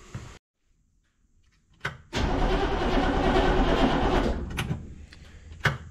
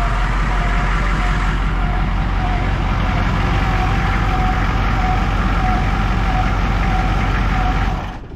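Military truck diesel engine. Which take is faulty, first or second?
first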